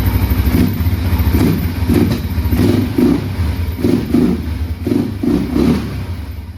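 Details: 2005 Can-Am DS650 quad, bought for $1000, after choke comes off: single-cylinder thump with repeated short throttle blips, each rising and falling cleanly, no clatter or stumble; running well.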